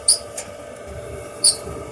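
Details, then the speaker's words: Kenmore Elite gas dryer: sharp high squeaks about every 1.4 seconds over a low hum, noisy when loaded with clothes; the sound seems to come from the rear, and the technician suspects worn drum rollers. "yo lo identifico más o menos de este lado entonces probablemente sean los rollers vamos a ver si son los rollers o es otra cosa"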